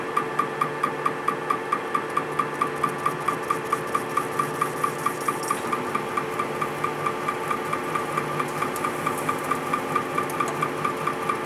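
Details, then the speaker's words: Welded displacement hydraulic cylinder with no piston, only head seals, turning on a lathe: sharp evenly spaced knock about once a second over the lathe hum, something internal to the cylinder knocking; cause unknown, so it is worked slowly. "sounds like there's something this cylinder is just totally messed up maybe that piston slapping inside of there i i don't know it's weird"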